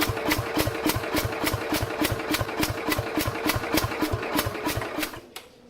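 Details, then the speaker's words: 1969 Bolens 850 tractor, original Wisconsin S8D 8¼ hp engine, unrun 3+ years, battery charger connected, a little throttle and choke: slow even cranking with weak firing pops, never picks up and dies when cranking stops; owner suspects very low compression. "See, it just doesn't have enough guts to do anything, I guess. It's just like enough to basically help the starter along a little bit, turning the engine over, but it's not enough that it can run on its own."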